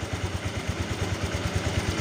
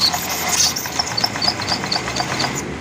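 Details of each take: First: Honda Vario 125 (old model) after a water pump seal repair for coolant in the oil: coolant topped up and no spray; warming to temperature with even firing pulses about nine per second and no knocks; normal idle. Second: Honda Vario 125 (old model) scooter that arrived stalled and running rough: sharp, light, even ticks about four per second over an engine hiss, heard at the CVT area. Oil found mixed with coolant from a leaking water pump seal; the tick's cause is unconfirmed.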